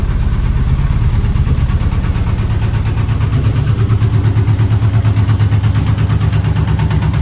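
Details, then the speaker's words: 1978 AMC Hornet: lumpy, uneven idle with heavy low shudder about three beats a second and whole dash shaking; number five plug wire pulled, cylinder dies, misfire; rod knock also suspected. "all right that number five there was hidden when I pulled the spark plug off seen it die"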